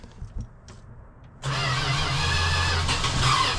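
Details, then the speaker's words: Classic Slant 6 project car, 78,000 miles, throttle being pumped: quiet cranking, then it fires and runs rough for a couple of seconds before faltering; it catches briefly but won't start, owner suspects the carburetor. "Oh, it's trying. And there it went. It was It tried for a second."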